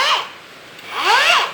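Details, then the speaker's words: Hujia cordless brushless grinder after reassembly and insulating peeled wires, on a new battery, no load: short bursts of smooth, light, even whir up and down, no rubbing or labouring; runs freely, lighter than before, not overheating. "Lihat, ini berbeda, suaranya berbeda."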